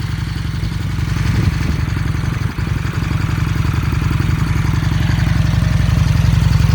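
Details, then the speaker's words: 2000 Excelsior Henderson motorcycle with electric oil cooler and fan, cold start: steady, even low thrum at idle with no ticks, funny noises or rattles; healthy, smooth-running normal idle. "Engine sounds great. No funny noises. No unusual rattles. Sounds like a Henderson."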